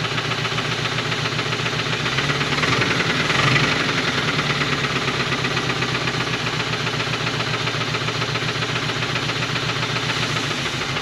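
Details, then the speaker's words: 1980 Dodge truck V8, sitting for years, started on a splash of fuel in the carburetor: rough smoky idle with a steady deep rod knock from a known worn connecting rod bearing. "her family has success she's smoking and knocking that's perfect"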